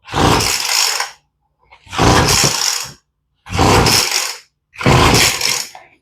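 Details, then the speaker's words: Two-stroke blower with freshly rebuilt, not yet adjusted carburettor, on full choke with mixture screws in then out one turn: four short bursts, catching and dying each time; hard start, owner suspects not enough fuel. "oh we heard something so let's turn the choke off so I don't think she's getting enough gas"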